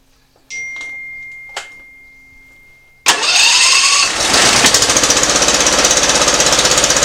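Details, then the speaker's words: Simplicity ZT2500 zero-turn mower with a Briggs & Stratton Professional Series 724cc 24HP twin, in for a running issue: it fires and runs with a lumpy, uneven pulse. Rough running; a cylinder not firing is suspected, not confirmed. "but it's not running good there as you can tell the sound of it and I'll show you how to troubleshoot that I mean it sounds like there's a cylinder not firing or something"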